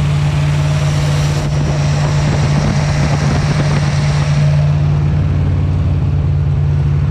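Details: 241 Red Ram Hemi V8 during cam break-in on a cold Kansas day, oil pressure about 30 psi, under 80 degrees: steady, even high-idle drone with strong low hum, no knocks or ticks; normal, smooth cam break-in.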